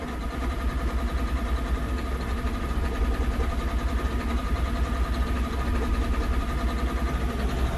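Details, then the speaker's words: John Deere 9530 tractor, 13.5L diesel with fuel pressure fault code, at about 990 rpm just under the 1350 rpm pilot-injection cutoff: low uneven thrum with irregular shake, two to three pulses a second, stack shaking; rough idle, smooth above 1350. "And I mean, it is shaky. I mean, look at that stack."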